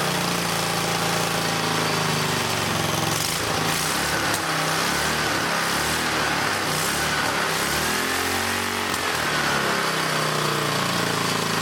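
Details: Old engine test-run with a 100-year-old Model T priming spark plug, fuel fed from a jar: even, buzzy single-cylinder drone without stumbling or misfire, speed wavering slightly; runs normally, plug still sparks.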